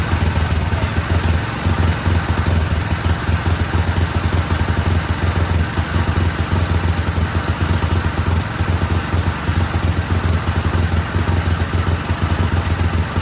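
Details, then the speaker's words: 1999 Yamaha Warrior 350 single-cylinder after valve adjustment, at idle; fast, loud clatter stays steady, still noisy; top end noise; owner suspects a large exhaust leak from a sawn, wrapped exhaust. "All right. So, we got it running um after adjusting the valves, and it's still pretty noisy."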